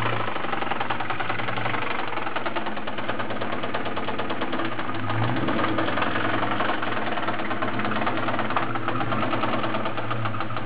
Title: 97 KenneBell Cobra - 4 valve suffering rod knock..